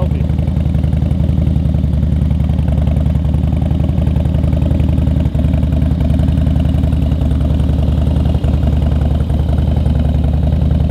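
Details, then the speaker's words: Harley-Davidson Twin Cam 88 with fresh Feuling cam chest install, oil-soaked pre-pressurized lifters, ThunderMax tune, first start: steady even V-twin idle with regular low thump, no ticking or knocking; sounds healthy. "filling that oil pump full of [ __ ] like lube and stuff it sounds good healthy"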